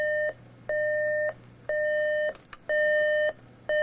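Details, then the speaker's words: RCA RP-3740A CD clock radio, alarm test after CD playback failed: clean high beep about once a second, each over half a second; alarm works, not volume controllable, sounding from the bottom of the unit rather than the speaker. "Probably because it's not even coming out of the speaker, it's actually coming out of the bottom of the unit."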